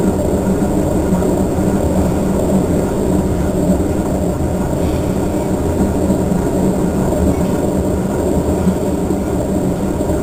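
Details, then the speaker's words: Three-year-old Whirlpool Cabrio washer (bought 2008) during spin: loud, steady low rumble like a jet engine, no knocking, tub making a racket; owner suspects bad bearings or tub. "raining out rev up in jet engine here bearings are bad the tub is bad it just make all kinds of racket here we go there we go again"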